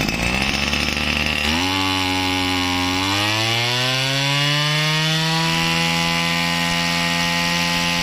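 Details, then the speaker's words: Used Japanese Tanaka CB20HT 20 cc two-stroke brushcutter with auto choke, on premix fuel, started easily: catches and settles into a high buzzy idle, then revs up smoothly and holds steady with no misfires, healthy. "แล้วลองสตาร์ทดูเครื่องแน่นเลยติดง่ายเห็นไหมฟังเสียงครับ"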